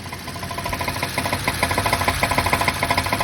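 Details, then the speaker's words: 2011 BMW 550i F10 N63 V8, six-speed manual, hard starting with low fuel pressure codes: loud, fast metallic ticking at idle from the bank one high pressure fuel pump; bank two also noisy. "if you come over here and listen it's really loud i don't know if you can hear that ticking but this side is bank one bank two is also making noise"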